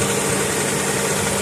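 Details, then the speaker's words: 1995 Honda Accord four-cylinder after replacing ripped timing belt that had jumped teeth (crank no-start with fuel and spark): smooth, even idle with no ticking; runs like a dream. "Put a new belt on, ran like a dream again."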